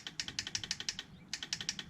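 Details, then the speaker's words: Tao Tao 110cc mini ATV. Sharp light clicks in quick bursts of about six per second with no cranking: starter clicks but won't turn over. Owner suspects a dead battery, not confirmed. "Now it's clicking. Alright, so that's going to tell me two things. Either the battery is shot, which I think that's actually what it is, or something else."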